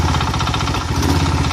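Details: Single-cylinder engine driving a generator makes a fast, even knock at unloaded idle, after the cover was refitted and the bearings reseated. The knock vanishes with slight load, throttle or the generator lights switched on. Owner suspects worn crankshaft bearings from the previously offset cover.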